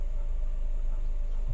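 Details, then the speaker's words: Honda Civic FD automatic, transmission previously taken down, drive light still blinking, idling on long-cranking start then shifted to reverse: low idle rumble then a single late dull thud; delayed harsh reverse engagement with shudder, drive indicator blinking. "Boom! Ay, umalog. May delay siya, kumbaga. Tapos, ayun, nag-blink na nga ang drive."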